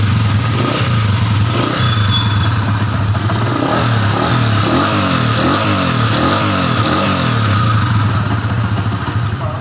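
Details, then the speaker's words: TMX155 single-cylinder after converting contact-point ignition to a 2-in-1 CDI: starts on one kick, thumps at an even beat and revs cleanly without misfire or popping; timing sounds right, with a backfire heard just after. Normal running. "Wow, revolution mo nga. Revolution mo. One kick. Wala timing na timing,"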